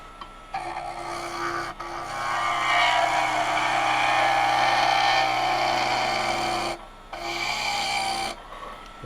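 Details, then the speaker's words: Skew chisel cutting a thin cherry hair pin spindle on a lathe, being taken under a quarter inch: a rough, fluttering rasp over steady lathe hum as the thin middle flexes and the workpiece chatters. "We're going to want to get this down to under a quarter of an inch, I think. But I can hear the vibration coming in there."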